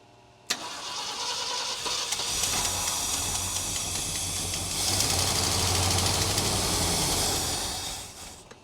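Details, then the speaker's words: 1966 Ford Galaxie 500 V8 after new spark plugs and wires and a firing-order check, with a troublesome fuel pump and leaks: starter whirs, engine catches and runs rough with an uneven, lumpy beat that never settles. "Well, she runs. She doesn't run that well, but hey, she makes noise."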